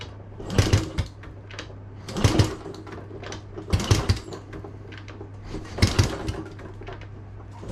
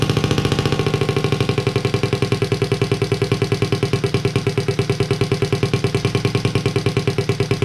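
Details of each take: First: Honda Z50A Monkey bike with a CR70 stator and original flywheel, cranked after the first pops: seven short bursts about 1.5 s apart that never catch. The carb isn't pulling fuel through and is leaking fuel around its sides, so it needs a rebuild. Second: Honda Z50A monkey bike, first start after fitting CR70 stator with original flywheel, manifold not connected to silencer: steady even putter settling into warm-up idle about three firings a second; normal.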